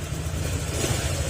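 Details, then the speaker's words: Honda Click 125 after overhaul with new block and piston, oil refilled, still in break-in: even low putter at idle with no ticking or knocking; former noise gone, engine runs quiet and smooth. "Kung marinig niyo yung tunog ng makina niya, hindi na siya ngayon nangangaroling kasi nabigyan na. Yan, tahimik na uli yung kanyang makina mga sir."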